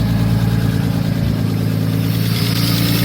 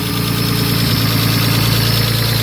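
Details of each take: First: Nissan R32 Skyline with RB20 engine on its first start: deep, steady lumpy idle through a loud open exhaust, even firing, no knocks, audibly noisy injectors; fresh engine idling normally. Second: Nissan Skyline R32 RB20, first start: steady idle with fast light ticking keeping pace with the engine; noisy fuel injectors.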